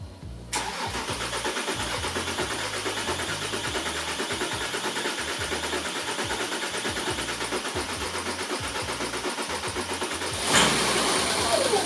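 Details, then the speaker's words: 3.0 TDI diesel after CP3 high-pressure fuel pump upgrade, first start, fuel system flushed: starter cranks briefly, then even, steady diesel clatter; starts and runs well, though a small fuel leak made it shut off. "yeah baby oh I got a little leak I got to turn it off it runs holy Dina"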